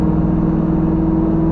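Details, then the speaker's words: 1972 Chevrolet El Camino V8 under load: steady low drone, smooth whir, no pinging or spark knock heard, so timing can be advanced; engine feels doggy. "i don't hear it all that's putting a load on it i don't hear it at all good good that means i can advance it"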